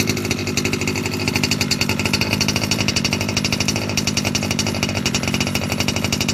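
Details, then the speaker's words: Losi 5B TLR with OBR 34 two-stroke engine, first fire-up after bottom-end rebuild for a failed crank bearing: fast buzzy note at steady high speed, crisp and even, no bearing growl; noise seemingly gone. "girls I sound the bad noise that I had my car turned out to be a failed crank bearing stripped Amira completely rebuilt it this is my first fire up since I rebuilt the bottom half"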